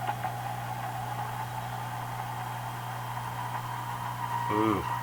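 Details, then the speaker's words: Marconi 201A AM/shortwave radio weak on shortwave, after replacing wrong 0.05uF capacitor with 50pF, at full volume: steady hiss and hum, then rising-falling whistle; suspected regeneration/oscillation or alignment problem, not confirmed. "volume is full could I do what they do almost sounds like a bit of regeneration going on there"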